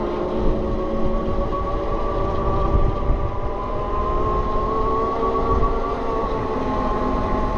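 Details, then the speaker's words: Heavy 20x4" fat-tire e-bike with Bafang BBSHD mid-drive on Flipsky 75100 Pro V2 VESC controller: faint whine rising with pedal load over road rumble, attributed to the louder nylon reduction gear. "so this bike is kind of heavier it's also using a nylon gear which is going to be louder"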